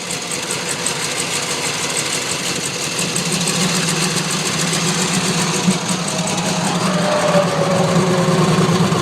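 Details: 2001 Chevrolet Silverado 5.3L V8, earlier misfires, new coil fitted, barely starts and won't stay running without throttle: loping, stumbling idle about three pulses a second; rough idle, cause unknown.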